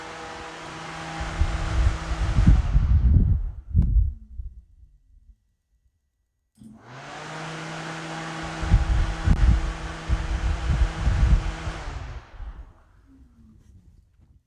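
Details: 1978 Datsun 280Z with aluminium 5.3 V8 and NP440 4-speed, electric fan tested by powering its trigger pin from the battery with the engine off: fan spins up to a steady whir, runs a few seconds, winds down, then repeats; smooth, normal.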